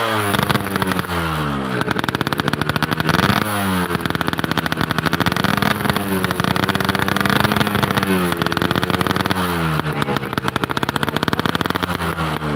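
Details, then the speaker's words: Two-stroke motorcycle: on throttle it blubbers and stumbles, pulling revs up then sagging back; carburetor suddenly flooding and bogging the engine, cause in carb not yet found. "Aduh, karburatornya ini guys, tiba-tiba melubuk, banjir. Ada yang nggak beres di karburator iki. Tapi mau nangan-nanginnya tarik ini orang-orang belepek ya. Enteng Mbak ya. Begitu tekan ini banjir terus lebak."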